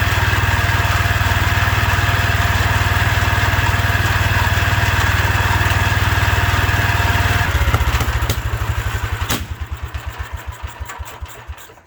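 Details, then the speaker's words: 1972 Wheel Horse Raider 12 lawn tractor, stored 15 years in a shed: engine holds a fast hard steady drone far above normal idle, then winds down in slow thumps; owner thinks the governor isn't working, revving way too much. "Things run pretty good, but I don't think the governor's working like it should. So this revving up way too much."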